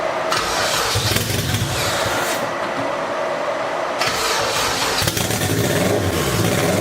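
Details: Freshly built turbo Toyota MR2 engine, first start on old turbo map, with oil cooler relocation: barely holding on, uneven surging revs kept alive by throttle blipping; rough running on wrong ECU map.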